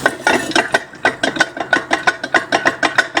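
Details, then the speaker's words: Drained axle taken off this one turned by hand after removal, owner swapping in the axle taken off the 62: uneven metallic clacks and knocks about three a second, worn differential gears with play; owner says it is well worn inside. "Happy days, I'm pleased I took it off, like, because if you hear the metal inside, like, it's well worn, like, don't know if I can do it."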